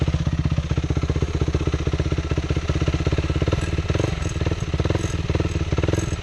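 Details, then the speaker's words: Yamaha WR450F supermoto single held at high RPM: a metallic rattle over the fast firing beat. The owner ruled out a loose bolt or nut and suspects the crankcase or timing chain; the source is unconfirmed. "I don't know if you guys can hear it too well but it sounds like it's coming from this area and I can't feel anything like any rattling I thought it was a bolt at first like maybe like a nut or something but it's not"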